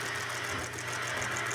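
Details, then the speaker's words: Ford Fiesta Supercharger engine running irregularly, consuming water, head gasket suspected; uneven lumpy idle with faint irregular knock; injectors cleaned but still dripping fuel, causing rough running; loose timing chain guide also found. "tentando limpar os bicos aqui salva eles mas não tem jeito ó os Bic eles tudo gotejando ali trabalhando tudo em regular"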